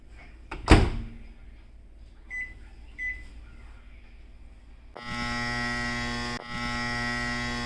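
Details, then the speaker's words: Samsung over-the-range microwave, about 4-5 years old: steady mains hum with a loud persistent buzzing overtone at startup while the turntable tray stays stuck and won't spin; turntable motor buzz from stuck tray. "msung microwave because of buzzing noise it makes because the tray isn't moving anymore"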